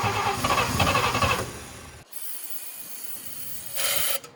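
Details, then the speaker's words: 1954 Chevy with a teaspoon of gas poured into the carburetor: about 1.5 seconds of quick, even cranking, then a hiss without firing; the owner suspects the carburetor needs a rebuild. "Most likely we need to rebuild our car. Just start sucking gas."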